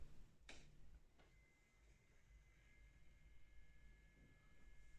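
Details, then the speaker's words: AverMedia Live Gamer Ultra GC533 capture card: thin, steady high-pitched whine from its small cooling fan, which runs at fixed speed without ramping, heard before the fix. "you hear it whining like."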